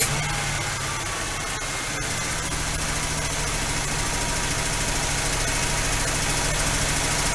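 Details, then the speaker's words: First start after a Quadrajet carburetor rebuild, fuel poured in the bowl: the engine holds a fast, steady idle well above normal even with the idle screw backed off, with a faint light lifter tapping that might clear after about 10 minutes of running. "okay still idling way too high i've got the idle screw backed off and i hear a lifter tapping a little that might fix itself once it runs for a good 10 minutes or so"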